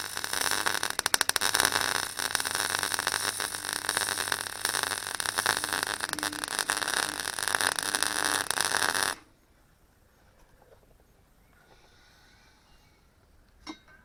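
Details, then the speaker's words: Clarke Pro 90 MIG welder, a beginner's first welds on sheet metal: a steady, even bacon-fry crackle for about nine seconds, then it stops. The puddle is easy to control, the sound is consistent and the weld comes through the back, a good sign. "I could keep it where I wanted it, and it was moving as I did, and it sounded consistent, which is a good sign."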